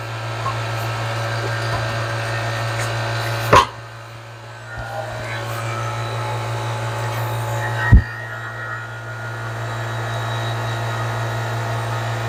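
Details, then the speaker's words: LG refrigerator not cooling properly, condenser replaced after dye revealed a high-side leak: vacuum pump evacuating the system (pulling down to around 30) gives a steady even low drone with no surging or knocking, normal operation. "all right now we're going to evacuate the system"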